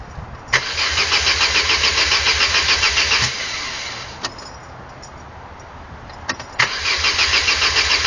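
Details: X16XE engine: starter spins it evenly at about three beats a second, twice over, but it never catches; the engine cranks but won't start.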